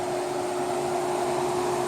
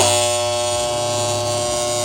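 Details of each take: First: Welder running after its faulty relay was bypassed and the coil contacts taped off: steady, even fan rush with a faint electrical hum and no relay chatter or buzz, so it runs cleanly. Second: Welder switched on for TIG welding, with the ground-power contactor stuck: a loud steady electrical buzz with harsh low hum stops when the contactor is pushed closed by hand. The contactor is sticking and chattering.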